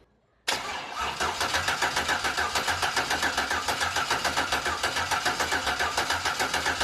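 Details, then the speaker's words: Boosted engine (run at 23 psi) being checked for damage, cam timing confirmed dot-to-dot: even starter cranking at about three and a half turns per second to pump up the lifters, no clunks from the valvetrain and valve springs still showing coil gap; sounds healthy. "those are weird i didn't hear any anything clunking i was watching the valve springs on the other side and i could still see coil gap"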